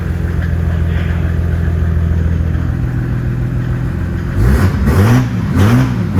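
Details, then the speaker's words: Datsun 240Z turbo diesel swap, after glow plug warm-up, crash repairs and intake mods: even, deep diesel clatter at idle, then a few clean rev blips settling back. Normal diesel running. "And I'll let that run for a few seconds, and it should fire right up. Started right up. Right? Sounds good."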